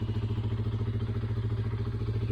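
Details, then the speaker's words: 2012 Honda CBR 125R with about 35k km, after valve clearance adjustment and reassembly, cold idle: quick even single-cylinder thumping with a faint normal valve tick, no knocking; healthy idle. "how we call that, the valve, but that's a normal sound actually. So yeah, amazing job. If you hear the knocking sound, it can be a bit loud at cold, but now I don't hear anything."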